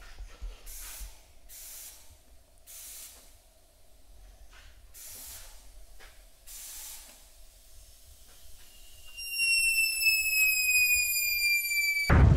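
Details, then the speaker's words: Holden drag car with standard LS1 throttle body, boost-leak test with turbo blocked off and idle air control valve sealed, about 10 psi applied: quiet irregular hisses then a rising whistle as boost leaks around the throttle body shaft. "There's a bit coming out around the shaft by the looks of it on the throttle body. I can hear it hissing."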